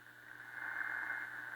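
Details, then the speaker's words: 1932 Emerson 25A radio with a damaged speaker, tuning between stations: low steady buzz over hiss that holds the same note as the dial moves, picked up from a nearby fluorescent light; interference. "that's interference you can probably hear it hear it in the fluorescent light that's what this is picking up right there"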